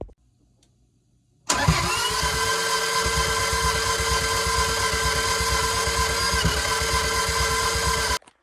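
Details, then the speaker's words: Toyota MR2 engine after manual conversion and rebuild with swapped cam: steady, even cranking for about seven seconds that never fires, then stops; attempted fix failed, exhaust cam removed next. "So, of course, that didn't work, and we're back to square one."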